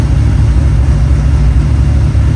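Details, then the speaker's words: Cadillac CTS-V drift car, after the exhaust was fixed, heard from inside the cabin: a deep, even V8 rumble with no ticking or puffing, much quieter inside; a leak or two may remain. Normal exhaust note. "Oh wow, it's so much quieter in here. That's so quiet. Yeah. Yeah. Yeah, it's gonna be so much more enjoyable."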